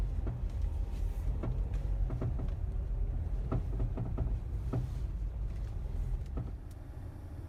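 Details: Mazda 3 (BM) while driving: sharp irregular knocks from underneath about every second over road rumble, only in cold weather, present since purchase; owner suspects the dealer-installed crankcase guard rattling, unconfirmed.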